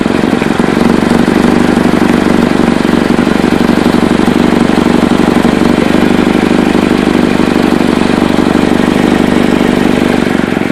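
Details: Chevy Cobalt exhaust leak at idle: loud, harsh, raspy, uneven puffing chuff about four pulses a second, possibly near the manifold; owner unsure whether flex pipe, manifold or both, and whether gaskets or whole pipe needed.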